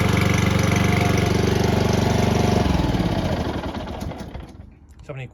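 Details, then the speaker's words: Lawn mower that would not start, after carburetor cleaning and tuning, runs with a steady, even beat of about four pulses a second, then is shut off and winds down; runs healthy. "as you guys can tell she works it's also a little bit too late at night for me to do this"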